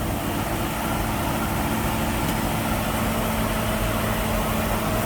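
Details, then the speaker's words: 1965 Mustang small-block Ford V8, 650 CFM Street Avenger carb, idling around 1200 rpm: steady, even idle with regular lope, no misses or knocks; engine happy with distributor timing, possibly about 30 degrees. "Seems like it's pretty happy with the degrees of timing we have the distributor set to."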